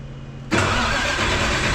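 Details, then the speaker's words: Detroit 4-53T diesel, coldish start after refitting tuned 7A77 injectors in place of failed 9G90s (injector #2 failed), fuel system primed, loose suction hose clamp since replaced; fires at once into a loud, even diesel roar; normal cold start. "so we'll do a coldish start on this one primed the fuel system so there shouldn't be any issues should fire right up famous last"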